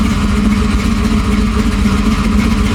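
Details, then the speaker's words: Car with problematic brand-new 4L60 transmission (to be swapped for another new one), check engine light on, temperature still good: deep, lumpy cammed V8 idle with steady loping beat through loud exhaust after a blip; engine sounds good and healthy. "Temperature still running good. Sound good though."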